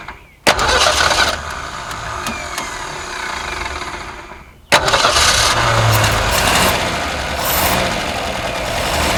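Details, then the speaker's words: 1961 Ford Falcon left for 15 years, started on a shot of carb cleaner: cranks, catches twice, then an uneven lumpy idle with a stumbling beat; owner suspects a dead cylinder. Rough idle. "a hot dog would you look at that it even idles sounds like it might have a dead cylinder we're just gonna ignore that for now"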